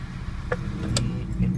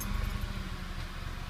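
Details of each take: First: Petrol car idling with misfire codes (P0300, P0301, P0302...): low uneven rumble that stumbles irregularly and shakes the car; single-cylinder misfire, rough idle. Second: Petrol car previously throwing misfire codes P0300-P0302 with shaking and varying rpm, after spark plug work: low steady idle with no rpm variation or misfiring.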